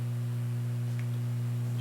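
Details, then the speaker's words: Fender Hot Rod Deluxe tube amp, nothing connected, after a bad phase inverter resistor was repaired: steady low mains hum from a failing ICC power-supply filter capacitor; the capacitors are to be replaced. "got some hum if you take a look here it's got those notoriously bad filter caps in it so I'm going to have to change these out because obviously one of them is sick"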